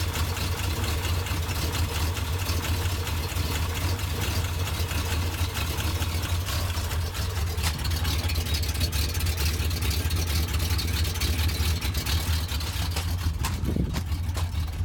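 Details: 1991 Jeep Grand Wagoneer AMC 360 V8, cold start with belts removed to rule out accessories, idles with a low, loose knock running through the steady rumble; cause unknown.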